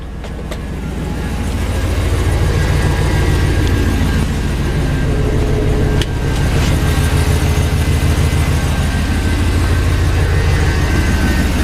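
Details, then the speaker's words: V8 after exhaust manifold bolt repair and flex plate replacement, first start: steady, even idle with a smooth low rumble, slight stumble at first but no skipped beats; running smoothly, with a whine noted afterwards (power steering or transmission suspected). "I feel a little stumbled but definitely don't feel like it did before oh yeah it feels nice and smooth now"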